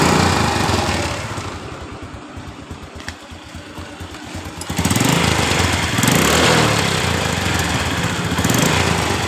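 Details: Revo Absolute, cold engine: rough, rapid metallic clatter under the single-cylinder idle, rising on throttle blips, heard at the crankcase; noise fades once warm; loose metal part or oil lubrication issue suspected, not confirmed.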